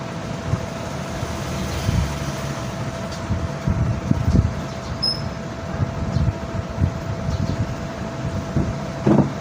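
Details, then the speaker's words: Rewound 2 HP 2-pole 24-slot water pump motor, parallel connection, 220 V, drawing 4 A (rated 8 A on load): steady mid-pitched hum with even low pump and water rumble, no grinding or knocking; normal motor running. "ये देखें दोस्तों, पंप चल गया है। ये आपको एम्पेयर भी चेक करवाते हैं।"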